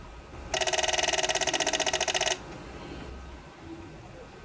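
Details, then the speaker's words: Older PWM solar charge controller on a 12 V car battery, input raised to about 16.5 V: fast burst of sharp clicks, about fifteen a second for two seconds; relay chattering as overvoltage cuts out power. "so if your solar panel gives too much voltage like cuts of power and it's making that noise"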